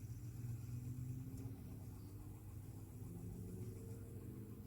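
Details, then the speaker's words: Vintage Elcon disc fan from about 1930, refurbished; the brush slider tension is being adjusted by trial and error. The low motor hum rises in pitch over a few seconds as the motor speeds up with the changed brush contact. "is trial and error here speeding up a bit doing much now let's try this one see what this difference this one makes it's that one now it's speeding up"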